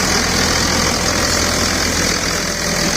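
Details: 2000 Dodge Ram 2nd-gen Cummins diesel after bypassing AC compressor pulley with 65" non-AC serpentine belt: steady, even-rhythm idle clatter, no belt chirp or wobble; tensioner steady, normal idle.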